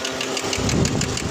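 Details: Chevrolet Tahoe before repair: steady idle with a light regular tick about six times a second over the engine rumble, noisy and uneven; loose knocking, something appearing detached, belt area inspected.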